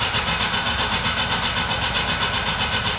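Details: Jeep that won't start after stopping at a gas station, fuel pump not heard priming, relays swapped, check engine and shift lights on: starter churns evenly four turns a second with no firing; cranks but won't start; cause suspected, not confirmed.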